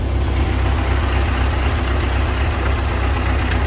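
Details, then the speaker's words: Ford 8N tractor being converted to 12 volts, running again after fuel was turned back on: low, steady, even chug at idle with no misses or stumbles; normal healthy idle. "fuel is on key is on starter what a piece she purrs like a kitten"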